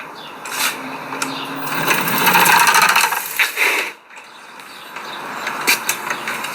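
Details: 2025 Aniioki A9 Pro dual-motor e-bike front hub motor, on assist levels three to five: rough gritty grinding in rapid bursts, about four a second, rising under assist; persists even after swapping in a replacement motor, cause unknown.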